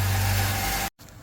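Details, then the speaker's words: 2018 Nissan Altima after crankshaft sensor replacement: steady, even idle hum with no misses, knocks or ticks; engine sounds good. "Alright, we're going to go ahead and crank it up here and see how it's running. Alright, sounds good."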